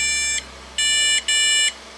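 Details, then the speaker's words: PC power-on with speaker connected: one long beep then two short ones; owner suspects the one-long-two-short code means a VGA/graphics error, not confirmed. "one long too short I'm quite positive that one long too short means it's a VGA thing"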